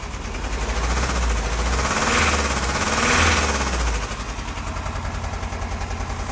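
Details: Mercedes OM651 diesel revving up and falling back, idle rises by itself and drops when brake pressed: rapid rattly knocking getting louder under acceleration; source of the knock not identified.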